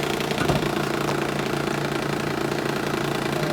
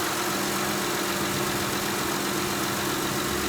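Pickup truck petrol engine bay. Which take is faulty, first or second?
first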